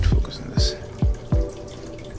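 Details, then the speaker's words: 75-gallon aquarium plumbing: water drips about every half second from a bulkhead. Leftover plastic from manufacturing keeps the bulkhead from sealing completely; slow, steady leak. "so like I said I was having a leak and I'm still having a little bit of leak right here so it was drip and drip and driven just from right there"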